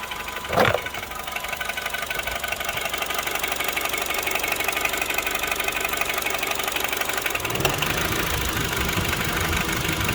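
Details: Korean-market 8th-generation Honda Civic FD2, K20Z2 petrol engine at idle: light, fairly quick ticking through steady hum; source not found.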